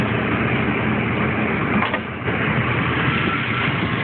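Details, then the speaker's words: 1989 Dodge truck with the original 125 hp 3.9 V6 (non-Magnum): a steady, even rumble with no knocks, misses or surges; smooth, healthy idle. "but as you can see she idles pretty damn well"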